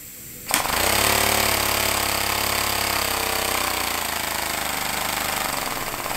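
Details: Homemade compressed-air engine at 50 psi with a small lever-operated diaphragm-valve throttle: rapid, hard pneumatic chuffing that starts abruptly and settles slightly slower as the throttle eases; normal running.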